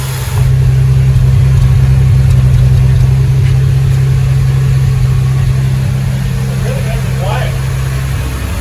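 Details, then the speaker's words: 1975 Triumph TR6 after camshaft re-timing and rebuild, first run: smooth, even idle slightly high, no valve train noise, oil pressure 90 psi, thermostat open; carbs due for rebuild. "It's idling a little bit high, but we're gonna rebuild the carbs anyway. So it's running well. Finally."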